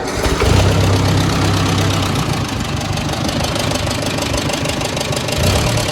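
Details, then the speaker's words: Ford Jubilee tractor just after a valve adjustment meant to cure rough running: loose, somewhat uneven tapping about three to four per second over the idle; the valve train is louder than before but the engine runs much better, and the owner is unsure whether the tapping is a problem. "And there's more of a tapping sound coming from the valve train now, so I don't know if that's a bad thing or not, but damn, it's running a lot better now than it was, so I don't know."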